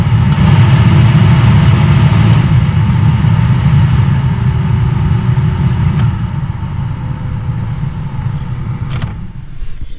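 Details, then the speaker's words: 1997 Jeep Wrangler blower motor after a new resistor and new harness plug, stepped from lowest to higher fan settings: a steady hum and air rush at each speed with no rattle or squeal; normal blower operation, fan switch fixed. "so I've got it on the lowest setting already I don't know if you can hear that lowest next to lowest medium and now"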